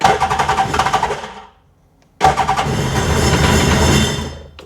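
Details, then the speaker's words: 2003 RXDI (new starter fitted) with hard starting and the maintenance light on. Lumpy start-up with uneven pops about four a second; it cuts out, restarts and keeps stumbling as if running on one cylinder. Both plugs are wet; compression check planned, cause unconfirmed. "I mean, it sounds like it's only running on one cylinder."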